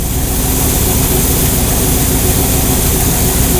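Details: 1969 Chevy truck V8 after carburetor priming and quarter-turn mixture screw tuning with a vacuum gauge: loud, even idle rumbling steadily with no stumbles or hunting; normal, clean idle.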